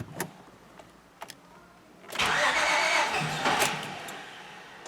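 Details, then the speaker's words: 2005 Honda Pilot, recorded from inside: a few clicks then a long rough crank slow to catch before settling into a ragged run; hard start, extended cranking, cause unknown. "an example of that doesn't it doesn't want to want to kick in there in start so eventually it gets going"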